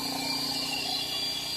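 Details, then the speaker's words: Statpower inverter looped with a rotoverter and series transformer: steady high buzz over the drone of the running converter as the voltage drops toward 12 V; inverter warning buzzer. "I hear the stat power making a a"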